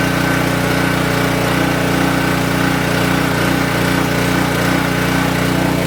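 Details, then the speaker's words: King Canada 3000W generator, after replacing a blown capacitor and fitting a new air filter setup for a hunting idle, before load testing: steady, even drone at constant speed with no surging or hunting; normal running. "So, let's fire it up. Let's see if it finally runs good. Let's see if all the work did something."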